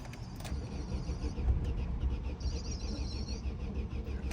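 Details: 2009 Opel Astra G sedan with a swapped engine (originally Z16XEP, now an X16-series unit), won't start after the battery went flat; starter cranks with a steady low churn and the engine catches but won't run; mechanic suspects the engine control unit.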